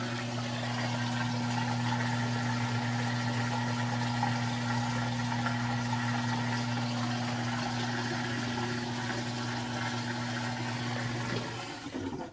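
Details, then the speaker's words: GE top-load washer with heavy load, draining after rinse before final spin: steady low pump hum under rushing water for about eleven seconds, then clean cutoff; normal drain pump operation. "and then the next thing will be the drain and final spin so here we go here it's draining"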